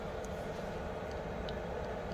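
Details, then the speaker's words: Diesel heater after teardown and clean, shutting down in cooling/purge cycle: smooth constant blower whoosh, no rattles or misfires; ran with no smoke, normal cooldown. "I'm trying to shut it down. Well, we're waiting. It's shutting down. It just has to do the cooling thing."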